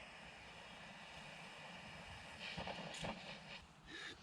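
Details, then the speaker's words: Booster +1 pressurized burner running on supermarket own-brand vodka: steady hiss with uneven spurts and pops that never settles into a strong roar. The flame runs weak and sputtering; owner thinks it needs to get much hotter to vaporize the fuel, possibly due to the water content. "it sort of wants to go it's uh it's definitely I think it just needs to get a lot hotter"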